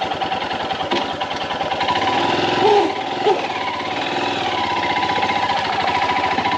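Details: Royal Enfield Himalayan BS VI motorcycle at cold idle, mornings only: loose uneven knocking around a hundred beats a minute over the engine; reported at dealer service without resolution, cause not found.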